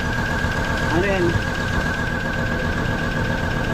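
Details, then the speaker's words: 2008 Hummer H3 idling with shorted ignition coil number 5 unplugged, as it blew fuse 33 and caused a crank-no-start. Lumpy, uneven idle with irregular low thumps from the dead cylinder until the coil is replaced. "Papalitan natin muna yung coil tapos Ikabit natin yun Medyo ganyan yan medyo dahil hindi nga gumagana yung isa"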